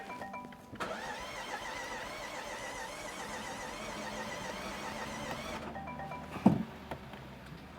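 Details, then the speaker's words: 2018 Range Rover Velar from auction, crank-no-start after battery died; starter cranks about five seconds with a faint, lumpy, uneven beat and never fires; suspected timing off or dead cylinders, not confirmed. "Sounds like we have some dead cylinders here."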